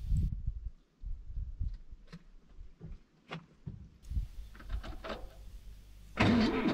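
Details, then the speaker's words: Zetor 7045 diesel tractor at minus 10 °C, first start in weeks, cold-start button pressed; nearly flat battery gives slow, labored cranking about two turns a second that never catches; starter tends to stick in cold. "var inte mycket till batteri i den."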